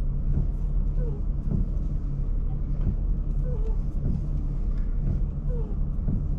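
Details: Chrysler Crossfire with 39,000 km, steering felt somewhat hard, fluid change suspected needed: low engine rumble under a dull knock roughly every second and a half while manoeuvring, with faint squeaks; clunk from the steering, cause unclear.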